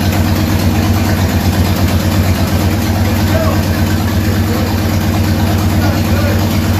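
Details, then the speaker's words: 1967 Ford Mustang under restoration, V8, after fixing the carburetor that caused running trouble: deep, even idle with steady lope, no misses or stumbles; running properly. "nd is running properly but it was the carburetor so that's awesome news and it seems to be working good right now"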